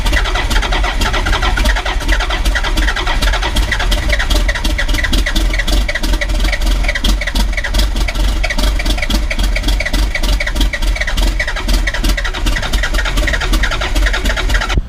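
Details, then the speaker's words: 1991 Ford F350 with swapped-in CAT 3126 diesel, hard starting; long steady cranking, fast even pulses for about fifteen seconds without firing, as oil pressure builds too slowly to fire; new oil pump likely needed. "and then for whatever reason it's taking forever to build oil pressure at least enough oil pressure to fire this"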